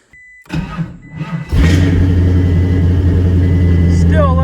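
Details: LS V8-swapped Prius, new battery just installed, starting fine cold but not warm: sluggish, labored cranking for about a second before the V8 catches; voltage drop at the starter traced to a melted alternator connector.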